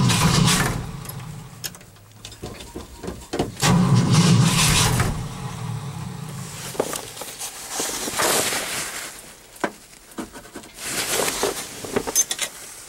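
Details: Cold start after an overnight low of -11 and 0 degrees at start: several separate bursts of starter cranking, each a few seconds with pauses, engine never catches; owner thinks he flooded it. Cranks but won't start.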